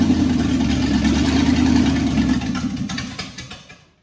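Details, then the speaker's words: 1963 Chevy C10 under restoration, first start on its own; gas not reaching the carburetor, running only on carb cleaner: engine catches, runs unevenly a couple of seconds, then stumbles and dies from fuel starvation. "Well, she runs. I just got to work on getting gas up to this carburetor."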